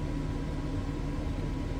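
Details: Suburban SF-30F furnace in a 2007 Keystone Sprinter RV, reinstalled after a bad control board was found: a steady, even low hum with a faint constant tone; the blower spins up smoothly with no rattles or scraping, sounding healthy.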